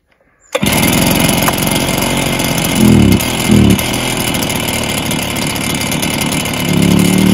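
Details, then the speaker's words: Stihl BR430 backpack blower: it fires and idles, but each throttle blip swells briefly then sags; it bogs when revved and clears with some choke; carb issue suspected, possible piston damage not ruled out. "it's bogging down when I go to rev out if I give it a little bit of Choke then rev it out and I keep the rows higher then it will do the job so it's definitely got a carb issue"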